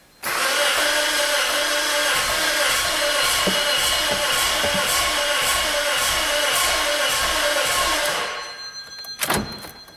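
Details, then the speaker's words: 2005 Pontiac Vibe 1.8, about 174k miles, towed in cranks-no-start: starter spins with uneven lopsided beat, only one cylinder pushing back, never catches; low compression. "well that doesn't sound too too good sounds like there's kind of fireing there on one cylinder but uh sure sound like I had three other dead ones it doesn't sound like it's got any compression um except for maybe one cylinder"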